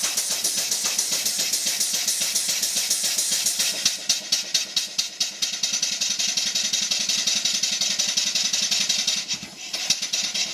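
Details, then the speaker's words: Marine steam engine, bought half built and finished by owner, running on compressed air with cylinder drain valves open, air spitting out the bottom; rapid hissy chuffs about three to four a second, runs freely without knocks; normal running. "So if we start it up, we open these, the air is actually coming out the bottom"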